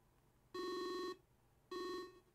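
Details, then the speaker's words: Speakers under the monitor pick up high-power nRF24L01 Arduino radio module transmissions when the antenna is held near, receiver unplugged: two harsh half-second buzz bursts with silence between; strong radio interference buzz. "And when I hold the antenna there, you can hear the speakers receiving that radio signal. It's quite strong."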